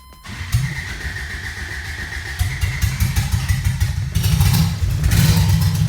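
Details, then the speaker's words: 1980 Toyota pickup rat rod 20R engine, first start: catches and runs rough, uneven on gas poured into the carburettor; fuel pump was not pumping, line sucked only air; fuel starvation. "génial, la pompe à carburant ne pompait certainement pas de carburant. J'ai essayé d'aspirer de l'essence à travers la conduite de carburant et elle n'avait aucune résistance, juste de l'air"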